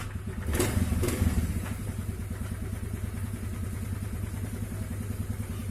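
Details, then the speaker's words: Honda Vario CBS scooter after CVT repair (clutch damper rotated, roller housing slider heated and shimmed): throttle blip then even purr, no knock from the drive side; smooth, more power. Normal CVT under throttle. "gas sudah halus ya. Tenaganya juga lumayan ya, lumayan nambah, cakep lah udah."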